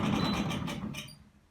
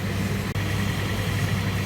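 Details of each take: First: Zanussi ZDE47100W vented tumble dryer on synthetics: rough droning rumble with faint squeal as drum turns, coming from the back; worn belt tensioner pulley, replaced along with belt. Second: Zanussi ZDE47100W vented tumble dryer on synthetics, running with side panel off after replacing the belt tensioner pulley and belt; steady even hum with low drum rumble, no squeal, knocking or thumping: running smoothly.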